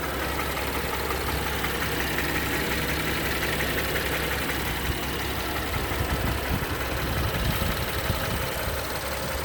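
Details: 2016 BMW X3 with 21 active engine codes: rough, busy idle with uneven clattering through the low rumble; internal cause unclear; abnormal engine noise.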